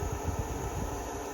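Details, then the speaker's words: Blaupunkt air cooler on level 3, its top speed: steady airy rush with soft low flutter, even and rattle-free. Cooler than a normal oscillating fan; running normally. "wouldn't say it's like an icy blast, but it's cooler than a normal oscillating fan. Definitely. Level 2, slightly quieter, not as cool."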